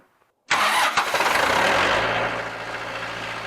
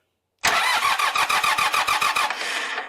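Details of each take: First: Montana 4540 tractor after replacing the starter and fixing a battery cable with melted spots: brief crank, then it catches within a second and settles to a steady, even diesel idle with no knocks; normal start and idle. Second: Montana 4540 tractor in neutral, brakes locked, fuel pump unhooked: starter cranks at about three and a half uneven compression pulses per second, laboured, with the reading dropping low; slow cranking, cause unconfirmed though the battery later tested good.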